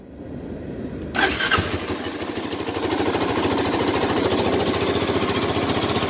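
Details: 1985 Honda Big Red 250ES starting: the starter cranks briefly, then it catches at once and settles into an even, crisp putter of about three beats a second. A healthy start.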